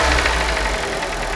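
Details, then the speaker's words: GM Corsa/Celta engine at idle: sharp, fast woodpecker-like tapping deep in the block, typical of a worn piston pin or piston skirt clearance knock, not the camshaft. "isso esse barulhinho é o tipo típico de saia de pistão pino de pistão ou saia que tem folga"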